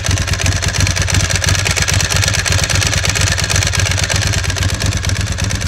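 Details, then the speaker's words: Ducati 996 idling: loud lumpy twin idle with a dry metallic rattle over each beat; the typical, harmless Ducati dry clutch sound. "yes, that is the way the clutch sounds. That is a typical Ducati dry clutch."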